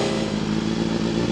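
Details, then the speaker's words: Honda CBR250RR MC22 on a cold start after cleaning the blocked carburettors (it had a no-start and suspected fouled plugs): a steady, even buzz with no misses, running normally and cleanly. "Here we go, cold start. Running perfectly now. Goes up. So it's still a bit cold, but she's running really nice. It's got that nice hunt to it."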